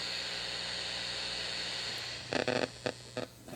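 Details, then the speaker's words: Fender Pro Junior tube amp on and turned up with nothing plugged in, before tube change: steady high hiss over a low buzzing hum, then loud crackly bursts; owner suspects a blown tube; new tubes did not fix it. "hear all these weird sounds and this happens to some two amps if we look basically my theory is that one of these tubes is blown"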